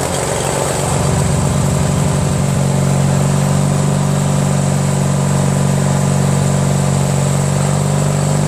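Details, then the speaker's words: Craftsman DYT4000 lawn tractor repowered from its original Kohler 25hp V-twin, about 19°F cold: sluggish, labored cranking at roughly three turns a second that drags into a droning hum. Slow cranking from a weak battery. "sort of kind of want too battery's dead now yep not enough crank"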